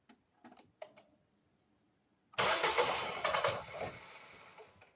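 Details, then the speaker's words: Ford Focus III crank no-start: starter spins, engine almost catches but won't fire; spark present, fuel pressure gauge reads near zero, under 1 bar; low fuel pressure, in-tank fuel pump replaced. "Навіть до одинички не дотягує. Треба міняти. Міняємо паливний насос в баку."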